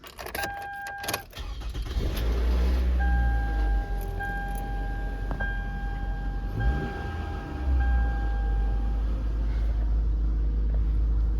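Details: 2015 Toyota Venza on start-up: loud metallic buzzing rattle from under the rear of the car over the idle, from a loose rear exhaust heat shield, first suspected as the differential; repaired DIY.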